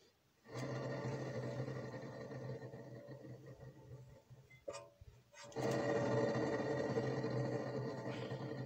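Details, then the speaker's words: Rear wheel, caliper removed, hub spun by hand: constant gritty purring rumble, louder with speed while driving; disc not touching, worn (HS) wheel bearing confirmed. "là c'est vraiment le roulement qui mord et non pas les trier ou les plaquettes de freins ou même le disque"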